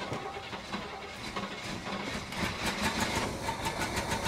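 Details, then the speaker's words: 1968 Chevy Caprice V8, sat 18 years, just revived: rough, uneven running with light top-end clatter; owner suspects collapsed lifters need oil to pump up, causing the noise and the miss; the noise later faded but the miss remained. "the lifters lifters are collapsed and uh they need to run for a little bit let that oil get back into them so the valves open up I think that's why we have that uh that Miss right now and that noise"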